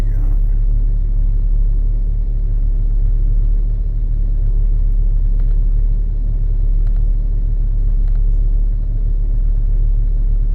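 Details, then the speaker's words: Chrysler vehicle, towed in with a broken belt, after belt replacement: steady, even low idle rumble with no knocks, squeals or chirps, quiet belt drive; normal idle, later road test fine with no overheating. "But she sounds good. I'm not overly concerned."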